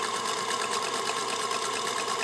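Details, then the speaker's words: Singer Featherweight 221 sewing, serviced with new grease, oil, belt, power cord and foot pedal, motor brushes inspected good: quick, even, light clatter at a steady rate, no knocks or grinding; runs quiet and stable, normal. "it's amazing how quiet and stable a featherweight is because they don't weigh much obviously they were designed to be very portable"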